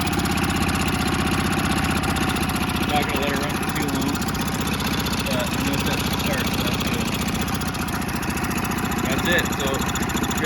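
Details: A newer Honda 5hp outboard (about a year old) with a no-start after sitting, now after carb bowl and jet cleaning. It ticks over at a fairly steady idle with slight unevenness but no misses or knocks; it runs fine.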